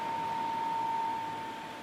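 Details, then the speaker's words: Air King PL20P vintage box fan with two-speed GE motor, final run after cleaning and oiling, grilles back on, motor running cool: soft airy hush with a faint steady tone fading near the end; very quiet, smooth. "all right here's the final run of the um air King pl20p this fan is very quiet"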